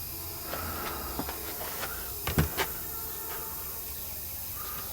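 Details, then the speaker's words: Air compressor pressurizing new PEX hard line during maintenance: faint continuous hiss of escaping air under knocks and clanks from a burst air hose. "now first time I was coming up did you hear the pops yep here's what broke this hose"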